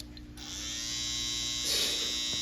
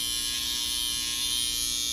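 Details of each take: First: Babyliss FX cordless hair trimmer after fitting a brand-new oiled blade, switches on to a steady smooth quiet high buzz with no rattle, loud noise fixed and cutting again. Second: Babyliss FX hair trimmer with a bent blade runs with a steady, harsh, very loud high-pitched buzz but won't cut hair, much louder than a brand-new one used once; fixed by replacing the whole blade housing kit.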